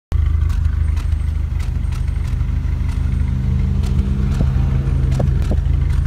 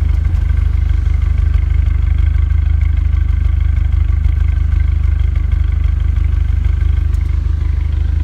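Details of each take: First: Renault Megane RS Cup exhaust at idle: low, lumpy idle broken by irregular sharp puffs and stumbles of an intermittent misfire. Spare injectors made it worse; original injectors were cleaned and refitted. MAP sensor fit seemed loose; cure uncertain. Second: Renault Megane RS Cup after refitting original injectors cleaned with carb/throttle body cleaner and seals flipped: steady, even exhaust burble at idle without puffing misses; owner not yet sure it is fixed, MAP sensor fit loose. Smooth idle.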